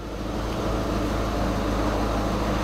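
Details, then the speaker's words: VW Passat Estate 1.6 diesel showing about 68,000 on the clock, first start: even, steady diesel clatter at idle with no misses, knocks or whines; starts fine with no warning lights, normal idle. "and start it up so it starts up fine no lights"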